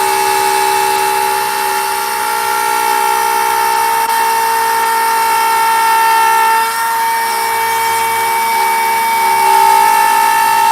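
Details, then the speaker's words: Router carving a sign with a profile bit: steady high whine with a rough buzzing edge; this is chatter, the bit microscopically shaking, and seating the bit further into the collet reduces it. "And that's what that sound is. That sound is chatter. It's the router bit microscopically kind of shaking and spinning a little bit."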